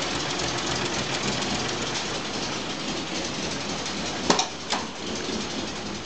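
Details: Volvo 965 2.5 brought back from the dead, at idle: the beat stumbles and surges irregularly with a couple of sharper thumps; rough idle.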